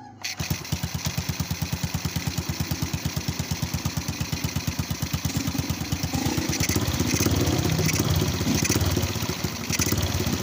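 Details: Honda Absolute Revo single-cylinder idling after its dead spark plug was repaired by packing stranded wire into the plug end, now sparking; putters about three beats a second, fairly even with a slight lift midway; runs normally at idle.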